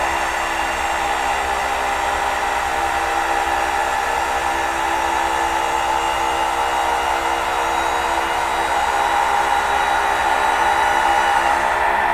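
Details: 19000 series vacuum panel lifter tilting a held panel via joystick through its 90-degree stroke: steady, even electric motor drone at constant pitch, no knocks or grinding; tilt actuator running normally.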